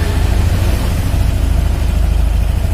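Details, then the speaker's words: Honda All New Scoopy scooter, new bike not reset, idle RPM just corrected (set around 1400 gives ignition advance about 12–14): steady low putter with even beat, no knocks or misses; normal smooth idle. "Ini cuman saya tepatkan RPM-nya aja. Walaupun nanti di reset ya."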